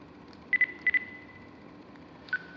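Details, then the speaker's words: New-construction townhome dishwasher gives two quick double beeps then a single lower beep in a quiet room; error chime because no water is coming in, so the door didn't open. "okay i hear the dishwasher it's making dinging sounds no water that's why it didn't open okay"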